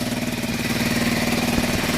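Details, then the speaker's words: Honda XL125 rebuilt from spare parts, first run with an exhaust fitted; steady single-cylinder putter at idle with even firing pulses and no knocks or misses, sounding healthy. "right then i'm trying to put a bit of an exhaust on it so it caught it down for the knight he does all right that sounds a bit better"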